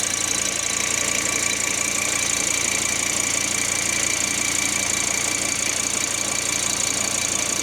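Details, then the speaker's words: Audi TT RS Mk1 2.5-litre 5-cylinder: steady thin high whistle over quiet engine hum; stops when vacuum pump is unloaded, suspected leaking rear of vacuum pump sucking from crankcase, not confirmed. "so I think the back of the vacuum pump's gone and it's leaking it's sucking out of the"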